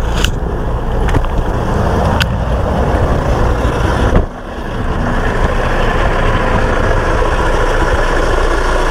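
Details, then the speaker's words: 2006 Honda CR-V 2.2 diesel 4WD idling, running a minute or two: steady low idle with even combustion, no knocks or misses. Timing chains are commonly noisy on these engines, but this one is not too bad. "I mean it sounded off right now it's been running for what a minute or two it seems okay"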